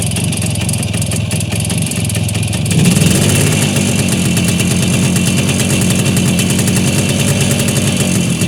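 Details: Voskhod motorcycle two-stroke engine: after it catches, a fast uneven tapping of about three to four per second rides over the idle. Engine knock.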